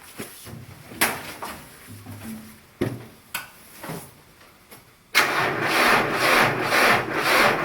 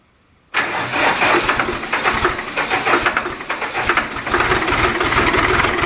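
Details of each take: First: Cold-soaked diesel, cranked without glow plugs and before the oil pan and battery heaters were run: slow, labored cranking at about two beats a second, never firing; it won't start. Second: Diesel in single-digit cold after 150 W oil pan and 60 W battery heaters (oil about 50°), glow plugs used: cranks much easier, catches quickly and settles into a steady clattery idle; a healthy cold start.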